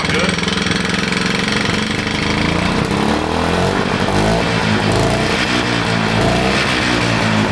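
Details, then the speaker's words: 1960s Jacobsen 321 two-stroke lawn mower engine, about three horsepower, water-logged, first run for a mini bike build: loud choppy uneven beat with a light rattle of unknown source; knocks unless kept on the gas. "you stay on the gas it won't knock let's see if the kill switch works what is that noise though i don't know let's not worry about it"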